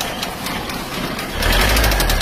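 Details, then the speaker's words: Car engine run out of oil, before repair: hard rapid plok-tok knocking over rough idle, louder with revs; worn, loose rod bearings let the piston strike the cylinder head; connecting rod knock. "Kemarin suaranya plok plok tok tak tak tak gitu karena sekernya menghantam silinder head karena koklok metalnya."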